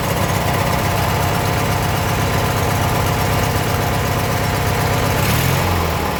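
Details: Abandoned 1996 Briggs 17hp I/C flathead opposed twin, running on its own for the first time in over ten years: loud, steady chugging at an even pace, no misses or surging; normal running.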